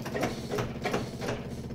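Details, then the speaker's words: Yamaha golf cart with key on: rhythmic cranking about three pulses a second as the engine tries to start when the pedal is released, caused by a worn pedal switch; the fuel pump is noisy. "see you let go of it now and it's going to try to start"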